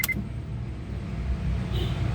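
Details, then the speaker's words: Honda CR-V Gen 2 after replacing the faulty starter/fuel pump relay under the car: single sharp starter click, engine catches at once and settles into steady low idle; one-click normal start. "Boom! Nag-on start. One click."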